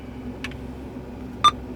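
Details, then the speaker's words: Power Acoustik CarPlay head unit with no CarPlay audio: two clean beeps on button presses show the speakers work; the problem is CarPlay not sending audio, with a factory reset as the fix. "now what you notice when i click the buttons you could hear the sound the beeping so there is audio the only problem that carplay is not sending over to the radio"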